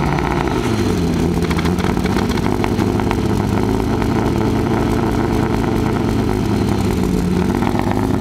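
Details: Mazda MX-6 LS idling at low revs: uneven, stumbling exhaust beat from a misfire with weak spark; plugs and wires seem okay, owner suspects the distributor. Misfire eases near normal at high rpm, not reached here; fuel smell at the rear.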